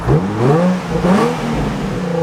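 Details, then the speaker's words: Nissan 350Z V6 running after new cooling fans fitted, mic on the speaker near the car: smooth quiet revs rising and falling cleanly with no clatter or misfire; engine healthy and quiet enough to whisper over. "On a serious note, I can't actually believe how smooth and quiet this engine is."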